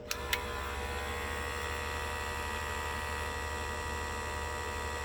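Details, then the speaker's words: Master airbrush combo's small tankless compressor, rated 18 PSI, with the valve wide open: steady electric hum and whine at constant pitch that never shuts off, running nonstop. "And that's the sound it makes the whole time."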